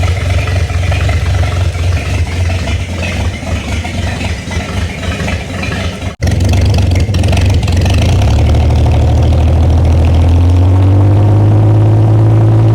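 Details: Freshly rebuilt rare GMC 302 inline-six running on electric fuel pump with hose water cooling to prevent overheating: low, even rumble with regular firing pulses, picks up smoothly and settles, running healthy without misses.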